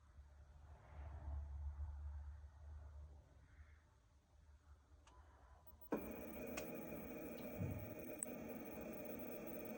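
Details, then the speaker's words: BMW F10 parked and locked: the electric steering rack motor starts humming and whining on its own some time after opening or closing the car, draining the battery. The rack and motor were already replaced; the cause is given as wiring. "BMW F10 электрорейка получается при открытии или при закрытие машины через какое-то время начинает гудеть рейка электромотор"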